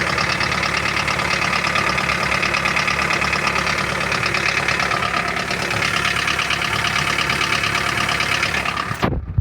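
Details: Toyota Carina 1.8 with a worn-out engine: steady idle with a sharp, fairly regular knock about three times a second that holds the same rate; the engine is knocking.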